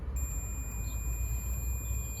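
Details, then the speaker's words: Multimeter continuity test on a Pajero starter motor bench-tested for a no-start complaint, from the wire to the housing through the brushes. A steady, unbroken high-pitched beep shows good brushes and a good starter; its problem was a loose, damaged screw. "this motor has good brushes because it is passing through this mesh or this one mesh that is here is giving it a lot of weight So this starter motor is good"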